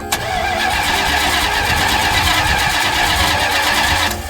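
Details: 1975 Plymouth Roadrunner after an engine swap, electric fuel pump working: steady rhythmic cranking for about four seconds, never firing, then it stops. Unsure whether out of gas or flooded. Long cranking, no start.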